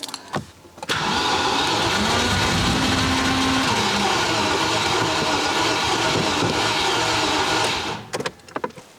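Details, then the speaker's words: Range Rover Classic barn find sitting about 10–13 years, after resealing leaking fuel lines, priming fuel and new spark plugs: about seven seconds of starter cranking with brief stumbles, nearly fires on brake cleaner but won't catch; injectors suspected. "I'm not going to go all the way today it's very very close you can hear that it WS uh I used some U brake cleaner to start it up"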